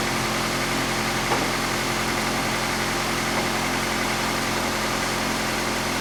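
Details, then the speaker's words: Engine after welding repair of exhaust manifold: even, steady idle without puffing or ticking from the exhaust; no leak, the weld fix held and it runs quiet. "Sweet. Oh, no air coming out. My fix held my exhaust held. Oh, it's so beautiful and quiet now."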